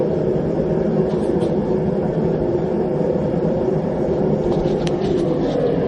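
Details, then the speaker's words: Homemade gas forge on its first test run, with a burner using a drilled-out MIG tip (about 1.1). The regulator is turned down too low, pressure not gauged, and the flame burns back up into the tube: a steady hollow roar with a few faint pops. "don't know what the pressure is haven't going to gauge yet but I turn it down too low flame goes back up into the tube"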